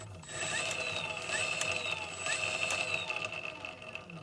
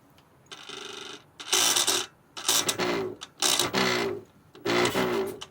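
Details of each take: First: Effbike fat bike hub motor clamped in vise, running free on bench, giving no drive when installed: steady high whine with light irregular ticks, sounds normal unloaded but stalls easily by hand; bad clutch bearing diagnosed. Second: Effbike fat-bike hub motor spun up in short bursts: loud, harsh grinding rasp over its whine from a bad clutch bearing; gears inside suspected worn.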